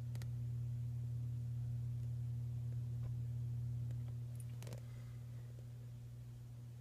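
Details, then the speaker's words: 1942 Philco 42-1008 code 122 tube radio during restoration, powered through a light bulb: constant low mains hum from the speaker at fixed pitch, slowly fading with faint clicks as rectifier and output tube heaters warm up. "This is actually humming. You can hear that."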